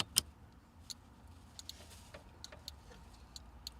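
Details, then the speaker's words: Very quiet, sparse flasher relay ticks roughly every 0.75 s under faint hum, with a new adjustable turn-signal relay set to its centre setting after LED install to stop hyper flashing; barely clicking before being turned up. "sound like it's barely clicking and that way we can turn it up"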